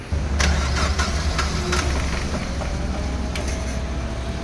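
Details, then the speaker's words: Chevrolet Aveo manual with hard start and low power; after cranking it catches into a lumpy, heavily vibrating idle with uneven low thuds: misfire. "Ayon so Ayan po mga kalb kita naman natin na sobrang vibration ang andar ng makina ngayon"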